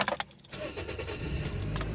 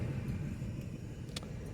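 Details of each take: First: 2004 Toyota Echo that shook badly on start-up with a cylinder 1 misfire code (P0301); after fitting a new ignition coil: keys jingle, a quick crank, then a steady, even idle with no shake or stumble. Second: 2004 Toyota Echo engine shaking hard at idle, especially when put in gear, uneven stumbling beat; code P0301 cylinder 1 misfire, being diagnosed by swapping coils between cylinders 1 and 2 to see if code moves.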